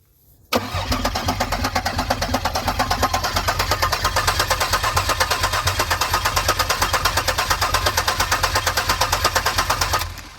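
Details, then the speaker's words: Abandoned 2002 Pontiac Grand Prix GTP 40th Anniversary with security light flashing: starter cranks evenly about ten seconds with no firing and no fuel pump heard, though it smells of gas. Owner suspects the security system blocks the pump, or a failed pump. "no fuel so I might need a fuel pump or there's something with the security light not letting the pump kick on"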